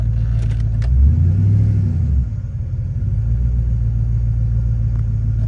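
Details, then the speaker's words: 2000 Silverado, 5.3 Vortec LS with Stage 3 cam and 92mm aftermarket throttle body, in park after drive and reverse: revs climb and hang high, then settle into a steady elevated drone. Stuck high idle; owner wonders about the throttle position sensor. "Park. Kind of gets stuck up there on the RPMs, but sometimes it'll drop down eventually."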